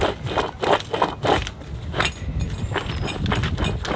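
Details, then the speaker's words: Removed failed wheel bearing turned by hand: gritty, uneven scraping rattle in bursts, binding and hanging up at one spot; bearing blew out while driving home, replaced with a new Timken bearing. "guys check this out listen to this bearing and then it it it it gets hung up right here"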